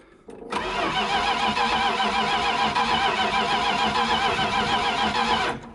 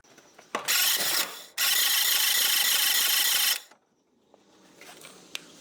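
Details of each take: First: 1973 Dodge D100 cranked for the first time in 10 years on a fresh battery, fuel not yet supplied: steady, even cranking at about three and a half turns per second for five seconds with no catch; starter and compression sound healthy. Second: 1973 Dodge D100, first start attempt in 10 years on jumper cables: starter spins about four turns a second in two bursts but never catches; weak ignition spark, coil or electronic ignition box suspected.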